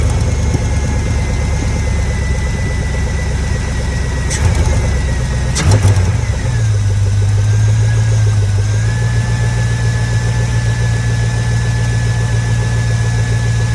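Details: 2000–06 Chevy Tahoe 5.3 V8 just after installing a cheap cold air intake: starter whirs briefly, engine fires and settles into a smooth, steady idle with a deep even hum; sounds healthy.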